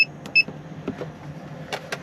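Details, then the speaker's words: Camper van water tank alarm: two sharp high beeps over a quiet cabin hum. The tank has water and there is no leak; the level reading drops to zero, so a faulty sensor is suspected. "mind you there's water in so it's not the problem so we're not leaking so it's worth a check isn't it have a check yeah so we've still got um the sensor going off"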